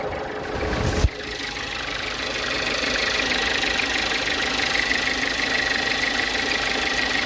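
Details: Volkswagen Jetta engine idling with a light, fairly regular knock or tick of roughly three a second. Cause suspected, not confirmed.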